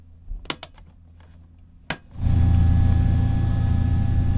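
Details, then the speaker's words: Newly installed boat bilge pump with switch, run dry with no water in the bilge; a few switch clicks, then a steady low motor hum that holds even; pump works fine. "I don't know if you could hear it, but it was running. I can hear it."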